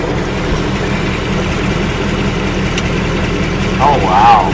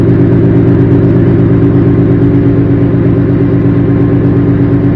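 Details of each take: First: Idle on a new engine just after its first oil change, with a faint, uneven light top-end tapping under the drone. The owner thinks it is a subdued version of the earlier knock, and the cause is not yet known. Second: Car with a new engine, after its first oil change and checked with a mic for a new knock; steady, even idle with a smooth low rumble and no ticking or knocking; normal idle.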